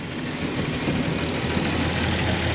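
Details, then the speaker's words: 1999 Formula 280 Sun Sport, freshly swapped MerCruiser 4.3L Vortec V6, during tuning: idles low at about 500–550 RPM (target 650) with a lazy, slightly uneven rumble; ignition timing set slightly advanced of the 10° BTDC spec, audible in idle. "All right, RPM is like a little low. 500 550. We probably want to increase RPM a little bit."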